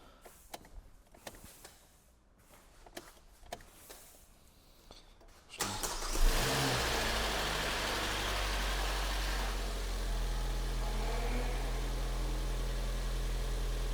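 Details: Kia Sportage 3 G4NA engine, owner reports cold-start rattle that goes quiet when warm plus oil consumption 300-400 g per 1000 km; after antifreeze refill, cranks and catches with a short timing chain rattle settling to even idle as oil fills chain and lifters; normal first start.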